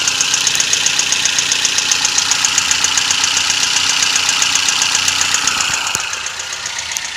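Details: Toyota 1NZ-FE engine at idle: fast, regular metallic ticking at about four per second, a steady top-end knock; timing chain or VVT-i gear suspected.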